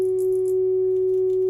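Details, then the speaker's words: Hybrid tube and solid-state audio amplifier after its controls were cleaned: a steady, pure mid-pitched tone with no crackle or scratchiness while the controls are adjusted; clean amplifier output. "more problems with noise all the controls are nice just turn that down that's the main right there so no problems with the controls they all cleaned up really nice"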